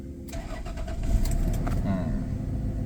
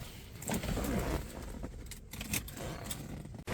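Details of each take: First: Mercedes-Benz W124 with Toyota JZ distributor engine, previously no-start with no spark, after replacing water-damaged ECU: brief crank, catches first turn and settles into a steady, even idle; normal start. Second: Mercedes-Benz W124 with distributor-type 1JZ/2JZ swap, previously idling rough: starter churns steadily, about four beats a second, but engine never fires; no spark at plugs, loose corroded connection found, ECU later replaced.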